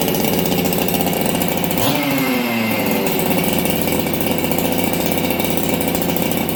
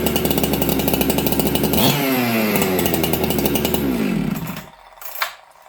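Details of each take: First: Ported Husqvarna 266XP chainsaw, first start in a year, not yet warmed up: high racing idle with a brief dip and recovery; fast idle with a little stumble, owner doubts it is an idle-screw issue. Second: Ported chainsaw in a near-freezing, humid shop, after richening the low jet: crisp, even two-stroke snarl at high revs and a smooth drop-off at shutdown. Crisper throttle and restarts well; idle still slightly fast; normal running.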